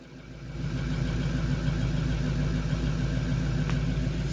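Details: Bus engine started first try with booster on the battery: picks up and settles into an even, low idle with a steady beat and no misses or knocks; healthy running.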